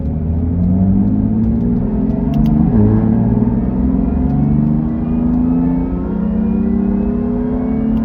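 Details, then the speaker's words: BMW F80 M3 track build, on a short street drive after fitting a Bimmerworld diff lift kit with solid aluminum bushings and SPL suspension arms: steady differential gear whine rising and falling with road speed over engine rumble, transmitted through the solid-mount rear bushings. "So, I'll throw up a short little clip that I got of uh driving just so you guys can kind of hear what that diff wine sounds like from the solid mount rear bushings."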